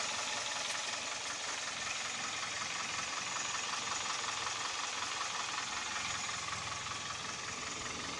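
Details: Kia with G4KD (Theta II) engine, recorded from inside the cabin: fast, fairly regular light knocking about 160 a minute over a steady idle. Piston knock with vibration at idle; knock also at 1500 rpm, and noise under load with A/C and heaters on.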